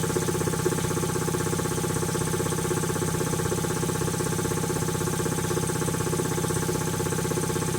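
Steady, even piston thump around three beats a second with a clean, consistent rhythm; compressor runs smoothly and healthy.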